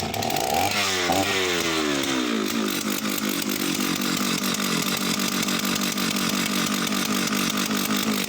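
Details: Oleo Mac 272 chainsaw: revs up cleanly to a steady, even high-speed scream with no stumbling or surging. Runs well, with only an occasional misfire thought to be from lack of use.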